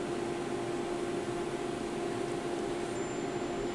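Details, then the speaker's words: Cheap 600W DC-DC boost converter near its 10 A output limit: steady low hum-tone with hiss, and a faint high inductor whine joining as it struggles. "oh that sounds like it's struggling there I can hear the inductor starting to wind"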